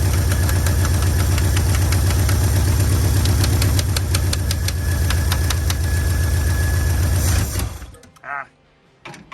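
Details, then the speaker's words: 1965 Acadian Beaumont V8 with a troublesome carburetor, a swap being considered. Rough, lumpy running at about four beats a second fades and dies after roughly seven seconds. Stalling at idle, cause not confirmed. "Sounds like it just needs a little more idle and this thing will run."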